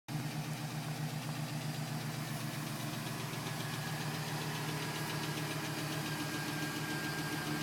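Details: 2010 GMC Sierra with 2000 miles, cold start. Light, quick tapping at idle that keeps time with engine speed over a steady hum; owner suspects piston slap. It was still tapping at 4 minutes and stopped at 5:42 as the engine warmed.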